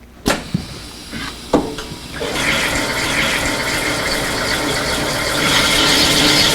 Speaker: You can hear as soon as the force is applied that the grinding starts taking place immediately, and these diamonds, they do not wear like silicon carbide paper.